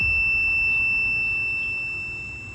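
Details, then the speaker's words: Lionel garden railway track: the continuity beeper gives a steady, piercing unbroken tone and the display shows a short; backing off all the track screws a couple of turns later cleared the short. "but the display is showing uh uh short no shorts I connect it and now it's screaming so so am I"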